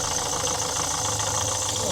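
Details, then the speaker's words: 2013 Ford Kuga diesel after repairing broken injector clamp and refitting injector and fuel pipe: steady even diesel clatter at idle, no leak and no more puffing/chuffing from the head; normal idle. "But it's not leaking now. It's not doing that lovely chuffy chuffy."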